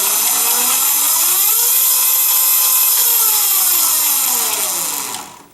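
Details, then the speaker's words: Mototec electric dirt bike after tightening the loose chain that rubbed a metal bar: smooth motor whine rising and falling, clicking barely audible, only normal motor noise remaining. "even now you can barely even hear that clicking anymore it's more just of the actual motor now making that noise"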